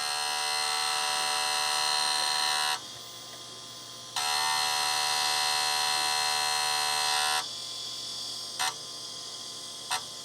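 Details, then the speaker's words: Quantum SCSI hard drive in a Mac IIsi that won't spin up: a harsh, high-pitched electric buzz cutting in and out in bursts; the drive is failing and will be opened up for inspection. "i hear trying it's trying to spin come on let's hit it making weird noises um that that is a hard drive that no longer works that's a very very unhappy unhappy hard drive"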